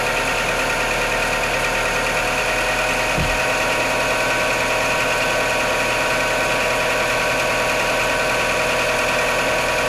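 Steady cold idle with a quick, fairly regular light knock, roughly three per second, riding over the engine note.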